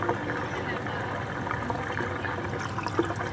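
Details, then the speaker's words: Terapump TRFA01 battery-powered fuel transfer pump emptying a five-gallon gas can, rated about 2.25–2.5 gallons per minute: continuous even gush of liquid over a low, steady motor hum with no sputter or surging; pumping normally. "like whoa it's got some power coming out of there sweet it says it's gonna pump two and a half gallons or two and a quarter gallons per minute"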